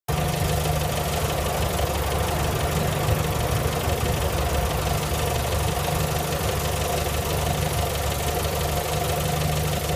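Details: 1965 Morris Minor after owner rebuild (stripped engine, valves ground in, all gaskets, new gearbox and clutch, hoses, mounts): steady, even idle with a low unbroken rumble and no speed hunting; healthy.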